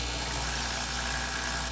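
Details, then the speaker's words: Breville 800ESXL espresso machine after replacing its ULKA EFP5 120V 52W pump. A firm, steady buzzing hum holds for about two seconds, then cuts off cleanly; it draws water strongly, where before the draw was slow. Normal pump operation. "you can already hear the difference of how well that pump sucked in that water strongly."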